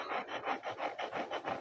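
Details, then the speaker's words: Speaker claimed 300 W, small magnet, not burnt: raspy scraping, distorted buzz pulsing about four times a second with cone strokes; voice coil rubbing (sumayad), speaker to be disposed. "Although hindi sunog yung speaker po niya, pero sumayad guys. Rinig niyo yan? Garagal."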